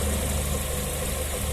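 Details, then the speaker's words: Lada Vesta NG idling with an aftermarket plastic engine cover: steady low idle with a light, uneven buzzy rattle as a loose cover corner vibrates against the engine; seems fine when revved. "Нормально. Дрожит. Нормально. Дребезжит. Газанешь, когда вроде ничего."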